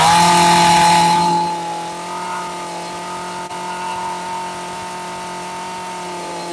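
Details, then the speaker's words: McCulloch PM610 two-stroke chainsaw, dead for years, running after carburetor cleaning: high steady scream dropping from hard rev to a clean, even fast idle with no stumbling. Runs healthy with lots of power, though smoking. "There we go. Success. She is a smoking beast. Lots of power."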